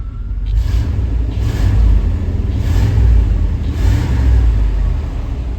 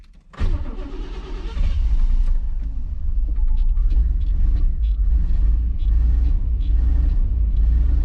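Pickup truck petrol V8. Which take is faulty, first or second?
second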